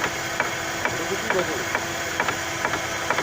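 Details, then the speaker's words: Chevrolet Lacetti, right side, engine idling in gear with the wheel removed after replacing the outer CV joint; light metallic "tun tun" clunks about twice a second come from the unclamped hub/brake disc rattling, and the noise disappeared once the wheel was refitted. "потом пригляделись предельно внимательно смотрим да это ступица имеет вход она же ни к чему же не крепится то есть точнее диск не ступица всю одел колесо поставил звук пропал"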